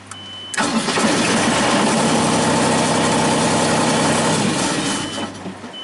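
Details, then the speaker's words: Genie S-40 boom lift diesel: cranks, catches and runs evenly about four seconds, then fades and dies; tach light flickers then it shuts off, start-stall. "okay let's start it up see kind of flickering then it shuts off"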